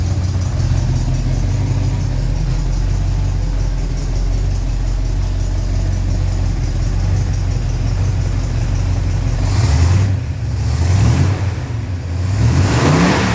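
Engine runs steady, then revs rise and fall a few times; no squeal or chirp from the belt at any speed, belt drive sounds healthy.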